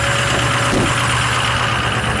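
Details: 6.0 diesel truck, evening cold start after sitting a while, still cold: steady, loud clatter held at a raised, even idle with no misses or surging; healthy cold-start high idle.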